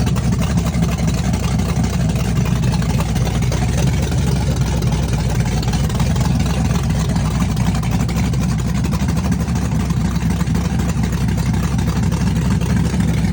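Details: Chevrolet S-10 with a big cam on open headers, cold start with Holley red electric fuel pump: loud, deep, choppy rowdy idle, uneven lope about four pulses a second; cam exhaust lift 480/488, advertised duration about 297; normal lumpy cam idle.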